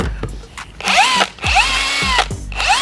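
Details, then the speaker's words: Matco cordless impact wrench removing 18 mm engine front-bracket bolts after cradle bolts: short rough, strained motor-whine bursts rising then cutting off, with burning smell and smoke; the impact's motor is burnt up. "It's no good. The motor is burnt up."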